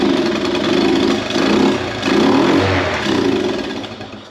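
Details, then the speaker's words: Honda ATC 70 with carb cleaner sprayed into the carburetor throat, throttle held wide open: harsh popping bursts catch and run in uneven surges for a few seconds, then die away. "So, I'm just going to shoot a little carb cleaner right up in the throat there of the carburetor. The throttle I'm holding holding wide open. That's it. Just a little bit. We just wanted to see if it's going to bust off."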